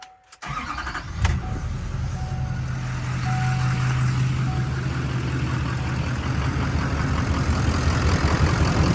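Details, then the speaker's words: 2016 LML Duramax diesel that started only on starting fluid, after replacing two bad injectors: cranks briefly, fires within a second and settles into a steady, even idle with no misses or knocks; normal start and idle. "thing runs beautiful. Two bad injectors."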